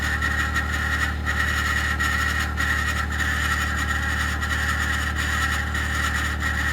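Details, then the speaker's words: 2021 Ford F150 PowerBoost remote cold start at -16°C: loud constant whirring rasp with high steady whine over cold idle, following a click; occurs only below about -11°C and fades after ~10 minutes warm-up; source unknown. "So the noise is still there. Something clicked, but I don't know when it starts."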